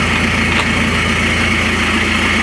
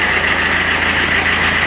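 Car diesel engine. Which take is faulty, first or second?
first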